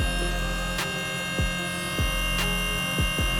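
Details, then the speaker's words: Astra electric power steering pump fitted to Datsun 1200, fluid full, no air: loud steady electric whine with low throb and periodic pulses; noisy pump, settled to steady level. "It's full. No air coming out. It's pretty noisy, isn't it? This little fucking thing."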